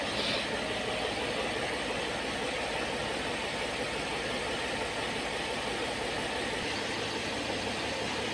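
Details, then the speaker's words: Mercedes ML 350 CDI with Airmatic suspension, engine idling after checking the air motor and fitting the 40 A Airmatic compressor fuse: a steady, even compressor hum with no knocks or strain as the car lifts from fully sagged, height rising from four to six fingers; normal compressor operation. "देखिए हमारी गाड़ी height हो रही है देखिए देखिए पहले पहले चार उंगल जा रहा था देखिए छह उंगल गया"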